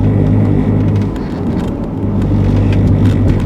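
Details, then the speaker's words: Ford Falcon B-series (BA/BF) front wheel hub: the old worn bearing makes a steady low growl and hum, compared with the new replacement hub, which spins silently. "As you can see, this thing, okay, that's the way it's supposed to sound, like nothing, as opposed to that was your noise."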